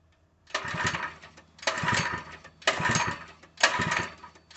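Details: Open-box Harbor Freight 3HP small engine (SKU869733), full of oil, fully choked, no fuel valve found: four raspy pull-start bursts that never catch. It won't start; the owner suspects fuel delivery since it gagged once with gas in the carb.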